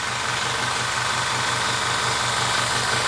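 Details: GT MAX 800 W 220 V fan-cooled electric PCP compressor (max 310 bar) starting to fill a scuba tank, set to 2500: loud steady thumping about three beats a second with hissy rattle, noisy as expected. Normal running.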